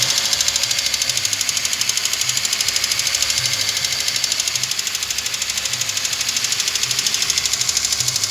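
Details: Car engine held at about 1500 rpm: rapid, even ticking, roughly three per second, over a steady engine hum. It is a noisy hydraulic tappet that needs replacing.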